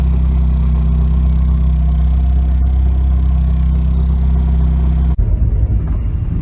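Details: 1992 Nissan 240SX hatch with a bad clutch: steady low engine rumble, then a rough uneven rattling and scraping as the clutch pedal goes down, pointing to a worn clutch; replacement parts on hand.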